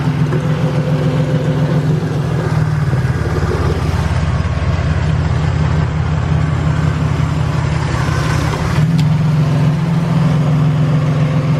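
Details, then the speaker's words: Toyota Tacoma at idle: a steady drone with a faint worn-bearing whir, the ticking or slight knocking the owner was chasing. A water-bottle stethoscope traced it to the idler pulley, whose belt looks shaky; idler pulley bearing noise, with the pulley then replaced. "so we're getting a wearing noise from this pulley right here and as you can see the belt is like kind of shaky we're getting like a bearing noise from this thing"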